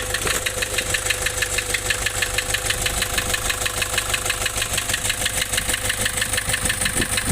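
Sharp, even knocking about three per second on top of the diesel idle, steady and metallic; a clear internal engine knock.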